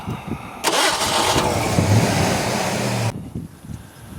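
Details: 1986 Ford Mustang GT 5.0 convertible with an unstable idle, restart attempt: the starter cranks about two and a half seconds with a brief catch, then goes quiet; the engine won't fire and keep running.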